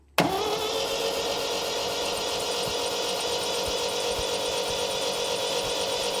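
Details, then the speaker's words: Freshly rebuilt MGB GT performance engine, plugs out, cranked via starter wire to prime oil before first start: even, quick, smooth cranking without catches or knocks; oil pressure came up fast, 60 PSI cranking. "See, that didn't take very long at all to start seeing oil pressure. If you don't do that, you could sit here for an awful long time worrying about the motor."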